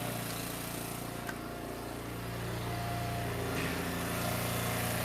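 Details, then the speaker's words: Small petrol engine on an Eastonmade Ultra wood splitter, back after service and oil change, choke previously left on: runs at a steady even speed with no sputtering, hunting or misses. "Boy, that sounds good."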